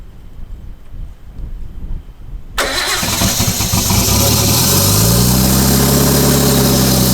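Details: Nissan R32 Skyline revived during restoration: silence, a short crank, then the engine catches, revs flare and settle into a steady, even idle; a rattly noise is present but seems not to come from inside the engine.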